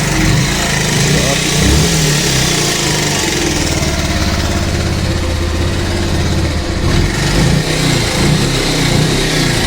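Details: Bajaj Pulsar 150 making a strange engine noise, long unserviced with very dirty oil: busy metallic clatter over a low idle thrum; timing chain rattle.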